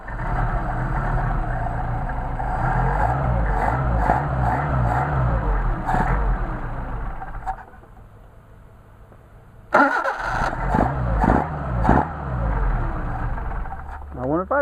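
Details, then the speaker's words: Mercedes 190SL carburetors on test after rebuild: idle that was perfect before cooling off runs rough and lumpy then dies, won't hold idle after blips; likely a piece of dirt in the idle jet, to be checked. "this is a good lesson and we check my idle jets right now this thing was idling perfectly a minute ago well not a minute but I let it cool off"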